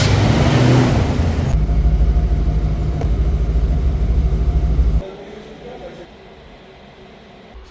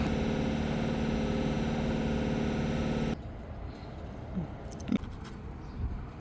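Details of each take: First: 1987 Ford Mustang GT 5.0L V8 after fluid top-off and a new battery, with the no-start traced to a bad battery cable connection: deep, even V8 rumble, steady firing, no misses or knocks; starts and settles into normal idle. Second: 1987 Ford Mustang GT 5.0L V8 -Fluid top off + No start — New battery/ bad battery cable connection.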